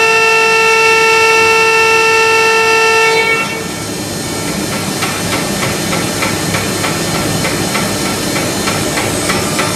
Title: HSS noise problem (cavitation?)